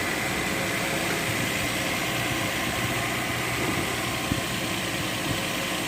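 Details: Toyota Land Cruiser 1FZ-FE engine: steady, even idle with smooth low hum and no knocking or tapping; engine sounds healthy.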